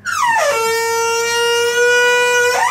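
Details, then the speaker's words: Boiler water fill tap honking loudly like a horn as water rushes through during filling; the faulty fill valve causes it and replacing it stops the noise. "bakın nereden yapıyor bu sesi Su doldurma musluğundan buna Korkacak bir şey yok korkmayın"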